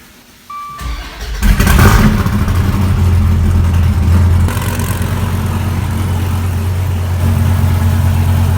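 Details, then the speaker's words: 2014 Dodge Viper TA, wrecked at track, first start after swapping in a good battery and taping a pinched wire, in neutral; loud, deep, steady unmuffled burble with an even beat, normal idle with loud straight exhaust. "that suckers loud got the fan they're sucking all this exhaust out I think my eardrums are busted dude that is gonna be so loud man"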